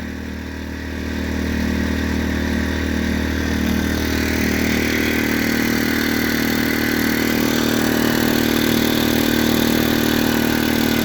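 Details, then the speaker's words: New Predator 2000 inverter generator, first start with a little fuel and an automatic choke. It catches and settles into a smooth, even, moderately loud drone with no knocks or rattles; normal running. "there it is not very quiet not very loud that's pretty nice"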